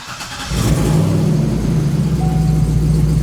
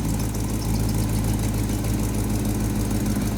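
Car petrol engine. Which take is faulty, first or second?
first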